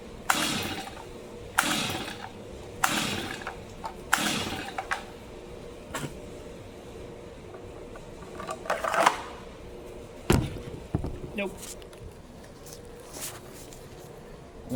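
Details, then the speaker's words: Brand-new Stihl MS 250 chainsaw, never used, choked: several rope pulls about every 1.5 seconds, each just a whirr with no pop; won't fire at all, spark to be checked next. "it didn't even want to fire at all."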